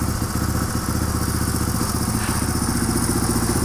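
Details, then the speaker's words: 1997 Suzuki DR350 single at idle, no throttle input: beat drifts up and down, speeding up then slowing; erratic hunting idle, also quits off idle; owner suspects vacuum leak, cause unconfirmed. "if you listen to the idol it will fluctuate even though I don't touch the throttle right there did you hear it speed up yeah slowed down again just now"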